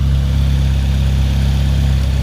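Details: 1994 Civic EG K20-swap race car after fuel-leak fix, 4-1 header and 3-inch custom exhaust: deep even exhaust burble at steady idle with no misses, knocks or hiss; no leaks seen, fuel pressure good, idling smoothly.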